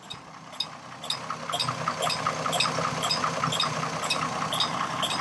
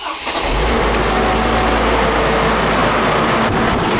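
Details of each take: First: 2002 Chevrolet Trailblazer, about 200,000 miles, warm engine at idle: sharp, regular clicks about 2.5 per second from the electronic fan clutch, replaced the previous summer. The clicking is now constant when revved a little. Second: 2002 Chevrolet Trailblazer, about 200,000 miles, right after cold start following fan work: steady loud jet-like whooshing roar over the engine that fades as it warms; normal engaged fan clutch.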